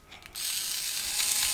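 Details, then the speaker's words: Second-hand TOMY Thomas and Friends Arthur toy engine, audio sped up 1.5x: a thin high gear whir from the small motor drive, and the wheels stop when pressure is put on them; a slipping axle gear is suspected. "So, when the wheels are running and you put some pressure on them, they just stop."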